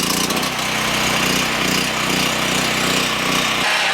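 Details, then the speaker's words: Harbor Freight Predator 4375/3500 W generator, 6.5 HP 212cc single-cylinder, first start on first pull, no load: steady even buzzy drone, no misses or knocks; runs clean, light load to follow after five minutes. "as you can see I mean first pull first start that's pretty good sounds like it's running really well might get a little loud I apologize"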